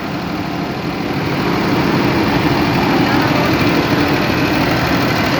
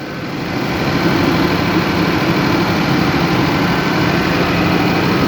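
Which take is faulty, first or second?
first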